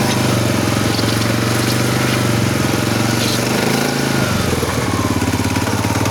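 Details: SF Moto 500 motorcycle engine: rough, throbbing run with rhythmic clatter and gritty undertone shifting as revs dip; internal knocking and grinding, source unknown.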